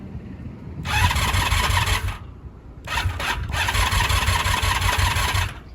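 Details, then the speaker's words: 1983 Honda V45 Sabre VF750S that had sat outside and wouldn't start, after cleaning the starter button contacts: two strong cranking bursts with a fast even whir and no grinding or clicking; the starter turns the engine properly. "button sounds good feels good all right well she will start if I really wanted to I could put the choke on and uh fire her up"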